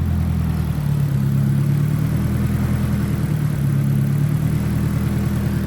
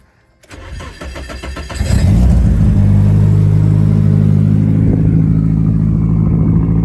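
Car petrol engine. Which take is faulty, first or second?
second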